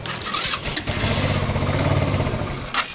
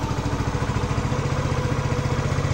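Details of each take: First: Fekon Rev X 125 motorcycle, converted to DC stator, with a fully charged battery: engine fires and runs roughly for a few seconds, then dies; stalls when throttled; carburetor uncleaned for years. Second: Fekon Rev X 125 small motorcycle, owned 3 years, after a temporary fix for a burnt part: steady idle with an even, quick low putter and no misfires; it had been stalling when throttled.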